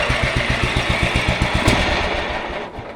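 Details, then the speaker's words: Yardman 15 hp riding mower with 42-inch deck, revived after sitting outdoors: small engine pulses about four per second, steady then fading and slowing until it stalls because the idle was set too low. "she shut off. It's okay. I had it too low."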